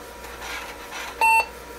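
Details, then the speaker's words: Datatech IBM PC XT clone (8088) booting with a blank hard drive: faint room hum, drive seeking until it times out, then one short clean beep as it gives up and boots from floppy. "so it's just sitting there trying and trying I can hear it seeking and mercifully it gives up and"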